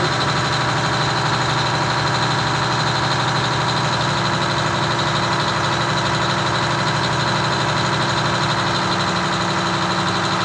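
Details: Detroit Diesel 6V92TA two-stroke in a Wanderlodge RV bus: steady drone with busy firing beat, idling far too high (about 750 rpm guessed) before the idle is backed off to about 600 rpm.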